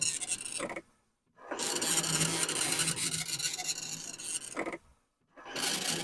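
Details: Commodore 1525 dot matrix printer for Vic-20/C64, never tested before, tractor-feed paper, running self-test mode with noise cover on: rapid rasping print-head bursts about four per second, brief silences between lines, even and steady; normal printing.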